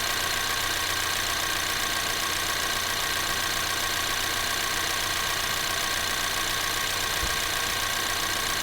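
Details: 2024 Ford Maverick XL AWD 2.0L EcoBoost idling with the air conditioner on, blower cycled through low, medium and high: a steady airy rush over a quiet, even idle, no rattles or squeals. Normal AC blower operation.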